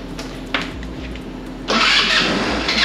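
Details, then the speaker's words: 2008 Taotao scooter barely used, start attempt with choke cleaner sprayed in: starter cranks in short pulls, engine catches with a sharp rush for about a second and fades; ignition present but fires only on the spray, fuel supply suspected. "that was awesome! So we have ignition! Try that again. So that's probably just from the starting fluid or the, yeah that's just from the choke cleaner."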